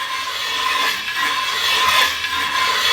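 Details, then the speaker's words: Hand-turned ridge reamer in an engine cylinder bore: the blade slides freely, then gives a dry, uneven metallic rasp with slow scraping strokes as it shaves the worn ridge at the top of the bore until the ridge is gone. "e the board it hasn't done anything it's just sliding on the bore and once it hits that ridge we're gonna start cutting"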